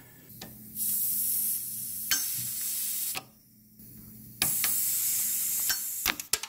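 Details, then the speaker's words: Honda Civic with 200k miles, AC system pressurised at the service port to find a leak: sharp bursts of high-pitched gas hiss starting and stopping, a leak audible before it shows on the gauge. "I just want to hear the leak I could hear it already it's not even showing up on my gauge yet"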